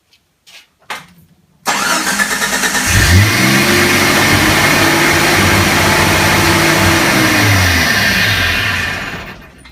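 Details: On a 1986–1990 Renix Jeep, the engine cranks, catches and settles into a raised, steady high idle. The adjustable throttle position sensor on the throttle body is suspected of being out of adjustment or bad (not confirmed), and the fix is adjusting it.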